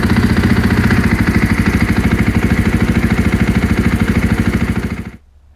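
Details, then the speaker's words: Husqvarna FE 501s after installing IMS 4.5 gal dry-break tank and Taco Moto fuel pump assembly with Golan quick disconnect; fuel leak fixed, steady starter cranking about three compression pulses a second for five seconds, never catches; owner suspects no spark, cause unconfirmed. "H what is that what is that noise I don't see any leaks why am I not getting spark what's going on"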